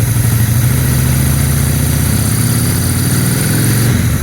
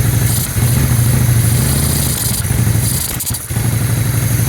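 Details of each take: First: 2001 Honda Shadow VT600CD carbureted, idling fine without choke: tiny throttle blips lift the twin's revs cleanly without stumble. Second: 2001 Honda Shadow VT600CD V-twin: idles fine but lopes, and each slightly larger throttle blip sags and stumbles; bog on acceleration, no fuel seen from the accelerator pump nozzle; cause unconfirmed after fuel system cleaning.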